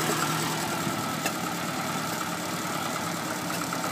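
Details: Lotus Elan before carb cleaning and tuning: idle wavers unevenly with a loose, irregular beat and occasional stumbles instead of a steady note; rough idle from carburettors needing cleaning and balancing.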